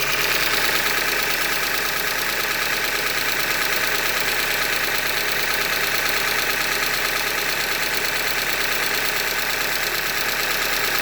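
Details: 2015 Hyundai Elantra Limited, 91,000 km, at idle: regular metallic knock about three times a second over a sharp clatter; engine knock from short block failure, described as a Hyundai manufacturing defect.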